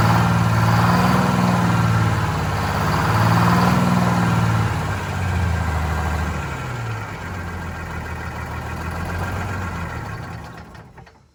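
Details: Vintage diesel bus in very cold weather, after fuel hose/line replacement, injector cleaner and fresh diesel added: idle hunts, sags and fades toward a stall, rough running; air suspected entering the fuel system from a line upstream of the new hoses.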